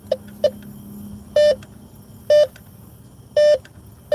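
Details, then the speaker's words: Bounty Hunter Tracker 4 metal detector at night in a park: short chirps, then several strong one-second tones as the coil sweeps past a metal pole, a false signal; approach poles straight on and listen for the double tone. "You'll get a false signal if you do a side to side because it's picking up that metal pole."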